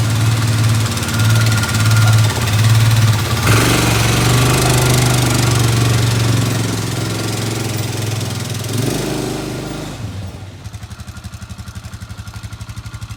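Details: Polaris Ranger 500 4x4 petrol engine, first run after top-end rebuild (head, cylinder, piston), no coolant in it: steady even run, no knocks or misses, pitch dropping smoothly; no smoke, running normally.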